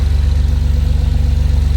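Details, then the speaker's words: Porsche Cayman with freshly rebuilt engine, idling after a short shakedown drive: low, evenly pulsing idle with no ticks, stumbles or rattles; sounds much better. Some right-side smoke at startup; the stock AOS was refitted. "It sounds much better now."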